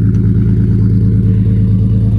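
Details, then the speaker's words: Project drift car with a hurt engine, cylinder four at only 60 compression versus about 200 expected: steady, deep drone at raised revs with a faintly uneven beat. Low-compression misfire. "it does run battery is in it as you can hear the engine is hurt number four only has 60 com it should be around 200 but"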